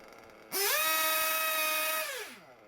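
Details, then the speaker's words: Warmed RC nitro engine (about 100°C) after leaning low- and high-speed needles: snaps from quiet idle to high steady scream and drops back smoothly; revs pick up nicely, high-speed needle good, idle good. "revs pick up nicely high speed needle is good"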